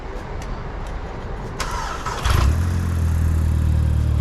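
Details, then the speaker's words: Mk5 Golf GTI TFSI engine and gearbox just transplanted from another car, first start: brief cranking then clean catch into smooth steady idle, no knocks or misses; slight smoke because engine had been upside down. "first start up is smoking a little bit because the engine was upside down right"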